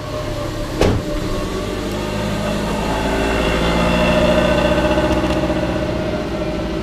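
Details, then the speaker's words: Twin-turbo (GT35/TD04) Subaru Forester, idling to cure exhaust cement gasket: deep, loud, steady drone with a sharp pop near the start; loud exhaust at idle. "you guys can hear the difference in the exhaust pipe connect spaces like that"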